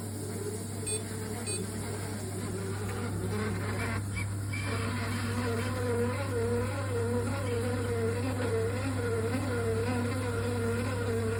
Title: Triton shower | Envi | Loud noise | replacement Tri-hub | service engineer | component defect?